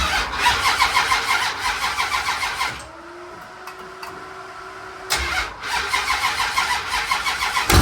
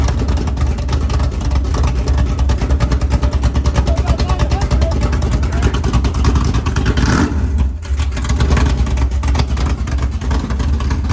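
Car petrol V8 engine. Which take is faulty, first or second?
first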